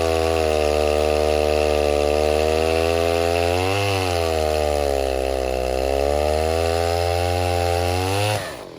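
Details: 070 clone chainsaw, 42-inch bar, first use cutting white oak firewood: high steady wail sags in pitch each time it loads into the cut and recovers slowly; bogs under load, won't reach wanted RPM with low-end torque; owner suspects untuned carburetor.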